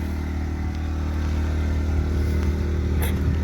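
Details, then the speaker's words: New Predator 2000 inverter generator at a rest area, plugged into a camper and powering its lights: a steady low hum at even speed under light load, no surging or rattles, faint traffic behind; normal running, quieter than the semi trucks. "got the lights on a little generator you can't see it plugged into the camper real quiet it's actually quieter than the semi trucks"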